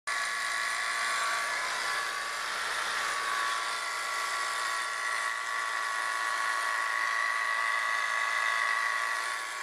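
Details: Saturn: a high, steady whirring whine like a dry spinning bearing over a quiet running engine. It seemed to come from the camshaft sprocket but turned out to be a bad idler pulley bearing in the belt drive.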